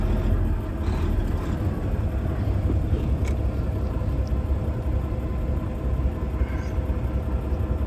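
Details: Mack diesel truck rated about 550 hp, whose only common problem is injectors: deep, even rumble holding a steady idle with no knocks, misses or rattles; the engine sounds healthy.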